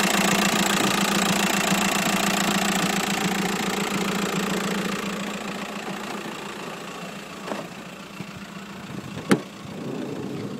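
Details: 2006 car inspected for purchase, engine idling: steady idle with a light, even knock about three to four a second riding over the engine; worn crankshaft damper knocking.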